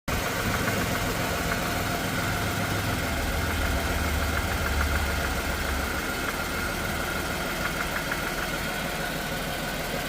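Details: Chrysler/Dodge/Jeep/Ram 3.6L V6 idling with a steady knock around three per second over a busy engine note; a worn connecting rod bearing, the rod knock known on these engines.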